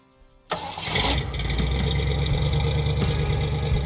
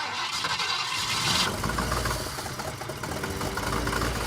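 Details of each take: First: Ford Falcon, after correcting ignition timing and cleaning oil spilled on exhaust heat wrap: engine catches at once and settles into a steady, even idle with no stumble; runs like new. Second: Ford Falcon, sat over six years, first start after fuel pump polarity fix: engine runs lumpy and uneven with irregular clunks and chugging; ignition timing set incorrectly.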